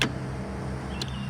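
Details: 2004 Honda Pilot power driver seat, tested with the vehicle off after replacing the seat switch: short, steady low whir with even pitch and no grinding as the seat moves forward, back and tilts; normal operation.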